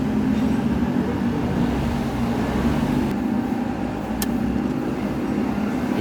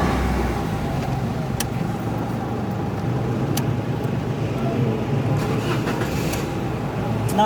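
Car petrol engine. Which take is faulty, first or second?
first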